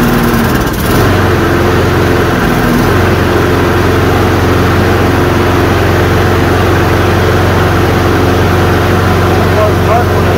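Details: Toro Recycler self-propelled push mower, 190 cc engine (labelled 7 hp), with a clogged carburetor and a choke that opens off the flywheel. It catches and settles into a steady, even putter at constant speed, now running normally.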